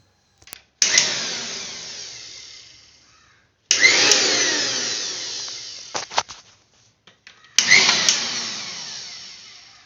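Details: Butterfly mixer grinder motor after repair of humming/not-rotating fault: three short bursts of high, even whirring, each spinning up sharply and tailing off; motor turns freely without humming or stalling, normal running.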